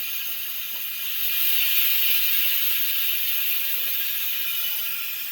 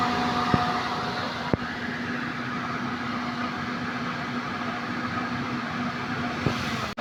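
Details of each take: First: Suzuki Multicab (D17) A/C that still cools: harsh, hissy whir with light ratcheting clatter about three a second from a noisy compressor; a clogged condenser filter is blamed for starving the compressor of oil. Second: Suzuki multicab (D17) whose owner reported a noisy, rough-sounding AC compressor, checked with pressure gauges; steady even engine and compressor drone with no rattle or grind, normal pumping at 175, then a brief drop as the compressor clutch cycles off. Normal AC compressor operation.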